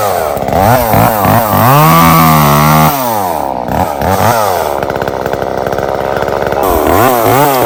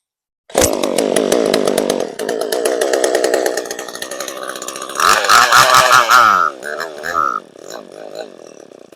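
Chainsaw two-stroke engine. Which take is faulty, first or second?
second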